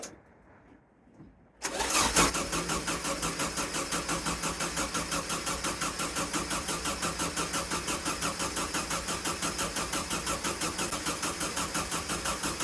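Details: VW sandrail dune buggy, air-cooled, sat 18 months: starter churns evenly at about three turns a second for over ten seconds after the fuel pump was freed with WD-40, never catching. Crank no start, with spark and coil voltage checked next.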